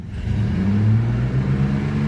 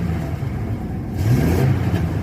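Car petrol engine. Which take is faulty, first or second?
second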